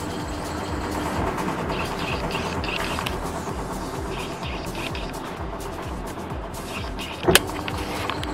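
Washing machine spins with an even, steady hum and no squeal, over background music.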